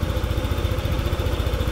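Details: Motorcycle idling after new stator install: steady low putter with regular firing pulses, no knocks or rattles; charging voltage now 14.1 V versus 12.3 V battery, previously never reaching 14 V; runs healthy and smooth.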